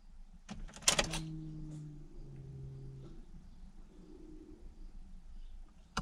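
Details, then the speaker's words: 2004 Pontiac GTO rear-mount turbo build, newly installed E85 fuel pump, key on: door clunk then quiet electric hum about two seconds that stops on its own; new pump priming normally. "i heard a priming let me turn it off off and it's on"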